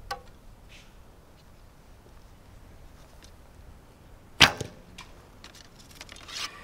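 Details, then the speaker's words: Recurve bow shot with a new endless-loop string: one loud sharp crack, then a brief buzzy ring of excessive limb vibration on release, before the Velcro silencing fix. "I'm going to shoot these, and then I'll shoot one more round just so you can hear that. But it is, there's a lot of vibration in that."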